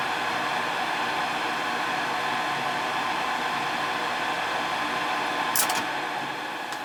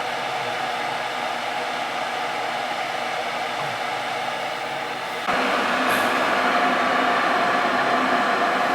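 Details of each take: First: Ruud gas furnace in heat mode that runs but won't fire up: steady airy inducer fan hum, vacuum switch pulling in, no burner whoosh ever follows; tech suspects board or gas valve. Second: Ruud gas furnace that ran but wouldn't fire up, in heat mode with thermostat jumped out, air still in the gas line: steady blower hum, then sudden step up as the burner lights into an even roar that holds smoothly; normal firing.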